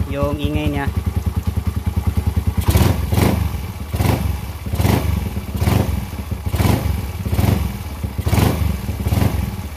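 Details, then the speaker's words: Single-cylinder engine just after installing racing camshaft: lumpy, loping idle about 75 pulses a minute, no rattles or knocks; sounds normal. "yung andar ng makina. So hindi naman maingay, normal"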